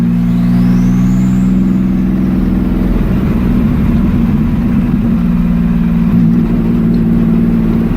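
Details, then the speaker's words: Fiero with 3400 engine on a test drive after replacing the rear lower ball joint: strong, even engine drone climbing under acceleration with exhaust crackle, no clunking or knocking; sounds healthy. "I'm going to go take it for a spin and see if there's no more fancy clunking and shit. I don't know if you can hear it, but it's got a nice cackle."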